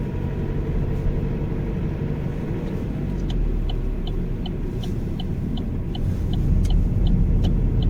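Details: Opel Astra 1.6 81 kW engine: a light, fast metallic ticking, about four per second, over a steady low engine rumble while accelerating; rattle on acceleration.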